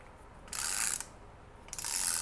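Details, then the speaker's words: 2003 Ford F-150 5.4L Triton 4WD, AODE transmission opened up with metal debris from rear planetary: two bursts of dry high-pitched clicking as loose clutch steels rattle in the case when the anti-rattle spring is absent. "we have an Annie rattle Spring right here this is kind of weird how Ford made that it sits down in here and goes against the Steels and keeps them from rattling in the case"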